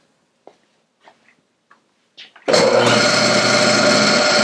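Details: Clausing 5913 lathe variable speed drive after new belts, inspection and hydraulic bleed; after a few light clicks the motor spins up to an even, steady hum with no knock or wobble; normal motor running, though vibration reported when clutch engaged.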